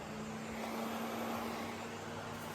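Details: Custom Batmobile Tumbler build: center-console switch turning on the electric cooling fan. Steady, even whooshing whir with a faint constant hum and no knocks or rubbing; the fan is running normally.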